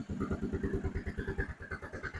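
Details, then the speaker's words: Used ATV whose carburetor was recently cleaned and rebuilt, started without choke: steady, even thumping about twelve beats a second with no stumble, idling cleanly without cutting off, as a healthy machine should. "And once it's on and running, it should idle, should not cut off. You shouldn't have any issues there."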